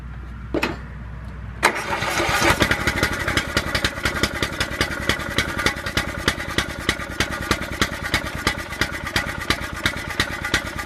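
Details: Riding lawnmower not run in years, carburettor cleaned, fresh gas, used battery charged overnight, first crank: rapid even cranking about three pulses a second, a brief catch that never settles; engine fires briefly then stalls, cause unknown.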